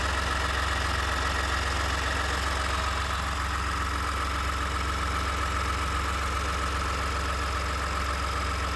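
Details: 29K-mile 2018 Ford F-150, 2nd-gen 3.5 EcoBoost V6, at idle: a light, fast ticking rattle about four times a second. The owner cranks longer to prevent cam phaser startup rattle. Engine knocking at idle, cause not yet known.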